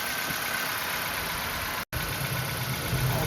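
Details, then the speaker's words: 2005 Nissan Pulsar N16, 220,000 km, original ignition coils, idling with one coil pulled: uneven lumpy idle with an irregular beat and brief cut-out, one cylinder dead and unburnt fuel smell, before replacing the coils with aftermarket ones. "We need this sound to be very loud to have a good ignition spark. I can smell the fuel as well."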